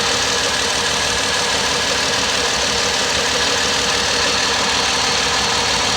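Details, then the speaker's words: 2009 Ford Escape 3.0 V6 with bank 2 lean and cylinder 4 misfire codes: rough, uneven idle with a stumble repeating every few beats; current ramp shows cylinder 4 injector dead, not fixed by wiggling harness or tapping. "we are experiencing a misfire right now it's just not as noticeable so you can see in our current ramps that we are missing"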